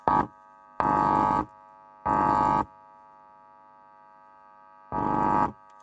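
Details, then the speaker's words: 8-inch 100 watt speaker after voice coil repair, new coil, spider and rubber surround glued in, test-played with a plain tone: four clean half-second tone bursts with no rattle or buzz; normal playback after repair. "স্পিকারটা আমি ready করে বাজাচ্ছি, শুধু সাউন্ডটা দেখুন। শুনুন, গানা বাজাবো না, আমি এমনিতে আপনাদেরকে আওয়াজটা শোনাচ্ছি।"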